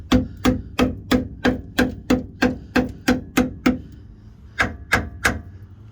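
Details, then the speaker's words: Jeep LJ frame rail hammer test: steady taps where solid metal rings sharply, while the rusted section answers with a dull thud like pounding sand, meaning the metal is rotted and must be cut out. "sharp metallic tapping sound or pinging sound is what you want you want it to really sound solid if it sounds like you're pounding sand that means the metal is Bush it's time to go"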